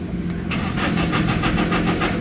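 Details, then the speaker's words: Toyota Innova diesel, manual transmission, key on then cranked: starter turns it over at about five beats a second but it never fires. Crank-no-start from no common rail fuel pressure; scan shows four trouble codes including P0351. "Okay, so start natin engine guys para makita nyo yung problema. So basic pointers lang ito. So ayan, naka on position siya. So manual transmission. So start natin. So makita nyo ayaw mag-start,"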